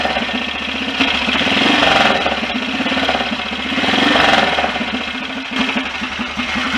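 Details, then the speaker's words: BSA DBD34 Gold Star 500 scrambler single, after carburettor work: even idle about four beats a second, earlier dry scraping gone, likely something just touching; normal idle. "At least it doesn't appear that the noise was anything more sinister than that, because it's gone now."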